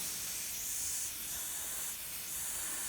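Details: Continuous high, steady hiss of air escaping under pressure from a fitting on the compressor air supply of a brand new but faulty plasma cutter; connector suspected to need removing and thread tape applying. Cause suspected, not confirmed.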